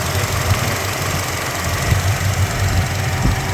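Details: 1987 Jeep Grand Wagoneer, 62,000 miles, fully rebuilt rare AMC 401 V8 with FiTech fuel injection and a new fuel pump: low, even rumble with a steady beat and no ticking or misses. Smooth, quiet, normal idle.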